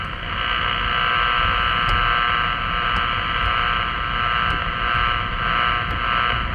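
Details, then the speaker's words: Power line RFI heard on a 50 MHz AM radio in a car driving about 14 mph near 84th Street, Bristol WI: steady rough buzz with faint hum over road noise, no clear rhythm; powerline interference. "And here's where the noise was before."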